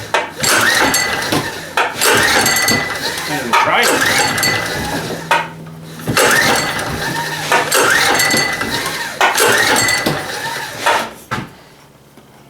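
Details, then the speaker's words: Small blue Walmart generator, about 15 years old, which usually started well: repeated recoil pulls about every two seconds, each a rattling rip with no firing, and it never catches; owner suspects dirt in the carburettor bowl. "interesting well that's not so good it always usually started fairly good you might have crap in the carburetor bowl never know"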